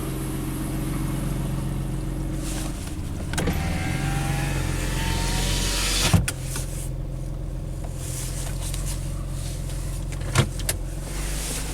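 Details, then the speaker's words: Nissan Pathfinder being fixed for hard starting and overheating, fired up after the coolant was topped off: a loud, deep idle with an uneven puffing rumble. An exhaust leak is suspected and was not being repaired. "alright fire this bad boy up so loud it some exhaust leak problems it's not here for that though"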